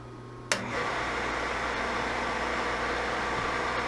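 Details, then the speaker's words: Boyar Schultz machine being refurbished, first power-up on a rotary phase converter: spindle motor starts sharply then hums steadily but a bit noisy; no vibration felt at the spindle, so spindle bearings seem fine. "motor sounds a tad bit noisy but um I don't feel any uh vibration there in the spindle so that is good at least I was worried about the spindle bearings"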